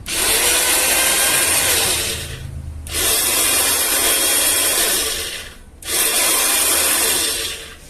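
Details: Braun blender brought in for a strange noise and humming, after repair and reassembly: three short bursts of smooth high whirring with clean stops and no grinding or rattle; the blender runs normally.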